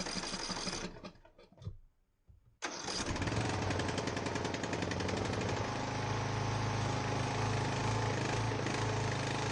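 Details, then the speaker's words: Ariens 42" geared riding mower, 17.5 hp Briggs & Stratton (31C707), Nikki carburetor, long neglected, restarted indoors, throttle at rabbit, smoking heavily: cranks, falters, catches, lumpy wavering beat; rough running, owner suspects old gas, unconfirmed. "Yeah, something's not happy with it. Probably that old gas."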